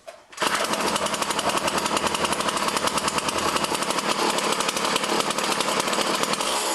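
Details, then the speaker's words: Poulan Model 117 string trimmer after a tune-up, having sat about 3 years, with its throttle cable readjusted: steady, buzzy two-stroke idle with an even popping beat and no hunting; spindle doesn't turn at idle, so the clutch works. "Spindle isn't turning. So the clutch is working well, everything works good."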